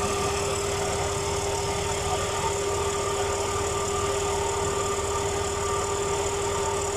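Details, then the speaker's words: Pickup truck AC compressor at idle after lubricant treatment for a squeal: even idle with only a faint constant compressor hum, no squeal or chirp, noise practically gone; normal AC compressor running at idle. "ah como nos pudimos dar cuenta y el sonido prácticamente desapareció"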